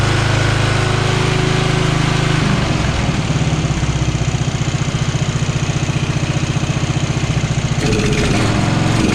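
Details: Free Craftsman riding mower, small single-cylinder engine, after replacing a carburetor that was flooding the cylinder and a minor air-fuel adjustment, air filter and box still off: runs steadily with even chuff, speed dipping and recovering once; running good, slight surging to be tuned.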